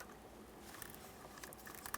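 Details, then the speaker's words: New airbag clock spring for a 2007 Chevrolet Cobalt LT 2.2L, off the car and twisted past its stop: quiet crackly plastic crunching grinding as the internal mechanism is damaged; continued twisting ruins it. "that's the sound of the clock spring inside going bad at this point if you were to continually twist this like this you just ruin the brand new clock spring"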